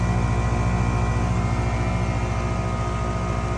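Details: Goodman 3-ton 16-SEER condenser, 7 years old, running: steady compressor hum, smooth even pulse, no buzzing or hard-start clatter. Condenser running normally.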